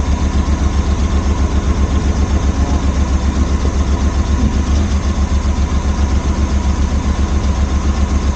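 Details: Suzuki Multicab after refitting the carburetor to fix a crank-no-start: steady, even idle with a regular low pulse of about four beats a second, no misses or knocks; running smoothly.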